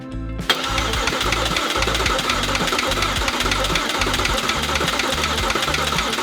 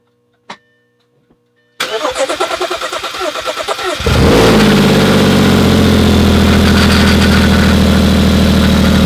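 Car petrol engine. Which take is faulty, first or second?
second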